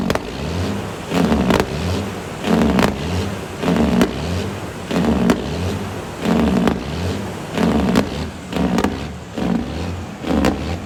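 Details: Tuned diesel cabover truck, throttle held wide open with fast idle stick, check engine light on: roars up then sags about every 1.25 seconds, never holding full revs. Hunting, suspected limp mode/derate, cause unknown.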